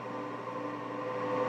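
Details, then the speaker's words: COMAU robot controller first powered from a home-built 480 V three-phase supply, brief 5 A pulse: steady even whoosh with constant tones, no rattle or rubbing; controller fans running normally. "I heard the fans kick on the controller. So that means it's happy."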